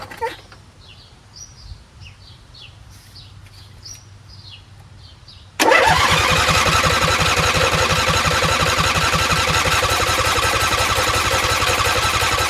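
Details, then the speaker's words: Husqvarna YTH20F42T lawn tractor repowered with a Briggs 21HP V-twin, unknown time since last start, choked: steady cranking at about three beats a second, never catches; fuel reaches the carb, so a dirty carb or stuck fuel solenoid is suspected. "Fuel is going to the carburetor, which means the carburetor is probably trashed. Carburetor's probably dirty. Or maybe this fuel solenoid is not working."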